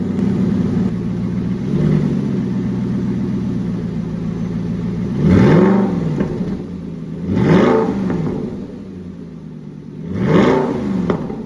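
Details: 2015 Aston Martin Vantage GT V8 with Fabspeed X-pipe fitted: deep idle then three crisp throttle blips rising and falling cleanly; exhaust tight with no puffing or ticking, normal.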